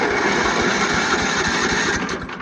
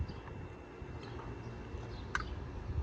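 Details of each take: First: Free Craftsman riding mower, starter solenoid bypassed with a jump starter: steady even cranking with regular compression pulses, no grinding; engine is free and turns over well. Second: Free Craftsman riding mower cranked via jump starter with ether sprayed in: spins freely, has compression, few weak pops but never catches; spark test showed no spark.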